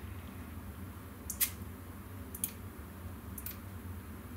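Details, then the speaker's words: Neotec NT-2701 27-inch arcade monitor chassis at power-on, B+ should read 100 V DC but gives no reading; sharp dry ticks about once a second over a quiet hum, chassis won't start. "and it's ticking okay this is what it was doing before"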